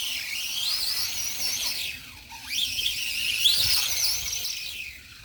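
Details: Redcat Volcano 16 mini monster truck after brushless conversion, non-adjustable mesh, driving at high speed: shrill squeal climbing and falling with motor speed; poor pinion-to-spur gear mesh.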